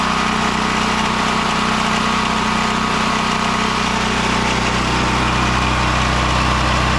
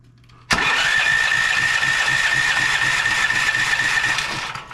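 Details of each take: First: Westinghouse WGen9500 generator (12,500 peak watts) after no-spark repair: steady even drone with no misses or stumbles, holding speed with heavy smoke; running normally. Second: Westinghouse WGen9500 generator that wouldn't start, spark checker on the plug: steady cranking churn at about four turns a second that never catches; no spark at all, cranks but won't start.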